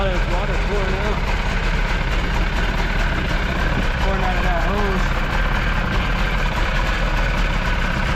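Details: Jet boat engine with rebuilt carbs, running on garden hose cooling with water coming out of the jet: low, even rumble at steady idle, no misses or knocks; running cleanly.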